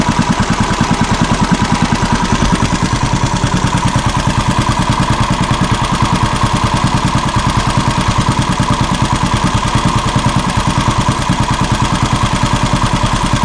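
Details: Small boat engine that had been misfiring, running after being fitted back on: even, steady chugging at about three firings per second with no misses or knocks. It runs smoothly.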